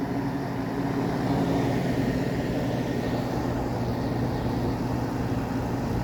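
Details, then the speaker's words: Window air conditioner units on high fan, installed after central AC capacitor failed: steady even whoosh of air with low hum, no rattles or surges, running quietly and normally. "These units are just too These are just so quiet."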